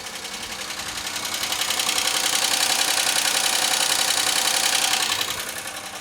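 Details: 2003 Pontiac Grand Am GT at about 118,459 miles, with oil contaminated by antifreeze and possibly water, running after an oil change with no smoke: sharp, very regular ticking about 3.5 per second over the engine. A valve-train tick of unknown cause.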